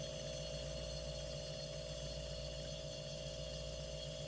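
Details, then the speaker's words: Steady, even mid-pitched hum with no clicking or rattling as the compressor of a 16-year-old, once-flooded water cooler starts and runs smoothly on the first try after a part replacement. "oh I love that sound oh yes yes oh she's running that's all it took"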